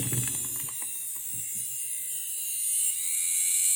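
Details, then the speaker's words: Audi fuel pump after switching to E85 ethanol, run on bench from 12 V: thin high steady whine with rough rattling, pump labouring; after two ethanol fills it lost pressure, rail purge only dripping. Failing pump, replaced. "vois à l'envers ça tourne et là ça peine de ouf et il se passe un truc mal sain tu vois le bruit que ça"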